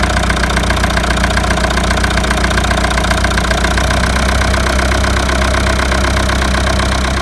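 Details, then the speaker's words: Leyland diesel tractor idling in neutral after a fuel filter change and bleeding air from the fuel system: steady, even diesel clatter with no stumble, surge or dropouts; normal, clean idle. "it's in neutral it's all that I'm a professional so don't worry it's still live and uh yeah we have the tractor running so Delight with that"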